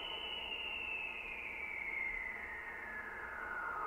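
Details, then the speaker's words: Ham radio receiver picking up interference from a switch-mode power supply: a thin whistle sliding steadily in pitch above the hiss, which moves when the supply's noise offset control is turned; power supply RF interference. "Now I can prove to you that that's coming from the power supply."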